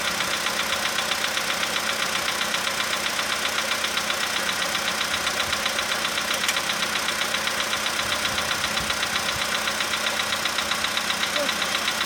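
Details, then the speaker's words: 2015 VW Polo sedan cold start, engine +5°C, ambient −2.5°C: steady light tapping about four per second over the engine, fading as it warms toward 20–45°C; suspected cold valve/hydraulic lifter, unconfirmed. "Ну нет, что-то есть еще. Но оно все меньше такое. Это холодный клапан. Ну не знаю. Гидрокомпенсатор."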